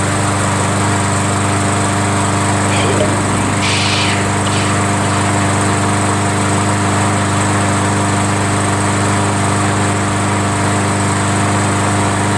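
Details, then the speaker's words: Roadside-found MTD 500E 21-inch push mower with Briggs engine, started on prime; owner first suspected a dirty carburetor, then judged it clean. Steady, even buzz at constant speed with no misses or surging. Normal running. "But apparently the carburetor is clean, because this has probably been sitting out for God knows how long, you know. And the first time we primed it and stuff, it started right up"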